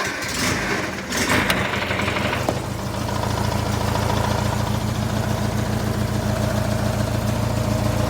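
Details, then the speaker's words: Engine with a cold-start knock that fades into a tick once warm: rough crank then steady idle with a dull rapid knock about four a second; owner suspects a piston ring, not confirmed. "has the knock to it I'm not too sure why I'm sure it's a piston ring or something but after it starts running for a bit it just completely goes away and turns into a tick"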